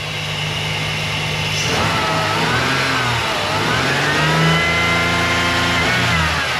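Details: Dodge Dakota 3.7 L V6 after repairing a melted wiring harness that shorted the 5V reference to crank, cam and throttle position sensors: several smooth even rev sweeps past 2500 rpm, pulling cleanly.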